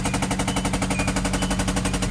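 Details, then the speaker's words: Hyundai bought back, restarted after topping up dirty oil: fast, even hammering at roughly eleven hits a second over a low idle hum; heavy internal knock, cause unknown. "We can try to crank this thing back up. Pretty sure we'll still get that knock."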